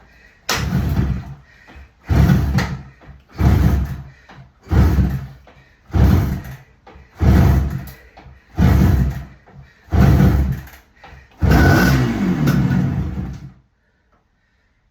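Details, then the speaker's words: Barn-find 1975 Suzuki GT250 two-stroke twin, start attempt after 18 years on easy-start and choke: catches in short rough bursts about every 1.5 seconds then stops; fires only on starting fluid and won't run on its own. "It's fired. It's definitely fired. Come on. Just give me something a bit more than that and we'll call it a win."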